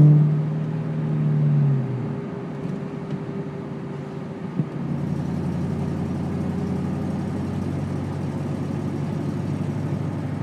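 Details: 2002 Ford Mustang GT V8 running; low uneven puffing tick riding on the exhaust note, steady throughout, exhaust leak.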